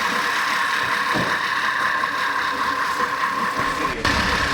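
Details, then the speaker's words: 2010 VW Tiguan 2.0 TSI, no-start with suspected skipped timing chain (P0300, P0341, P0016), started after oil refill: uneven, lumpy idle under a steady hum, every cylinder misfiring. Rough idle misfire. "isn't that beautiful now it's Mis fighing I can feel the M but it actually started okay you see every single cylinder misfiring"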